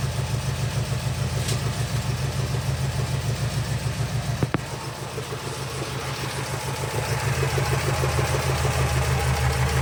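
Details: 1979 Porsche 924, first start after sitting untouched for a few years: low, lumpy idle pulsing unevenly, occasionally dropping a cylinder, almost diesel-like; it has a miss and needs a tune-up, and coolant is leaking out. Rough idle, cause suspected.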